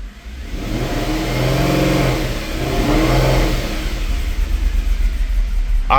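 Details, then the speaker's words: Mercedes E63 AMG V8 revved and held high right after start-up, misfires already logged on cylinders 1 and 4: uneven, lumpy drone with a stumbling beat; misfire under revving, cause still unfound after camshaft removal and harness checks. "We already have two misfires on one and four. You know what? Let's just bite the bullet. Let's just rev it up. Watch the misfires go up."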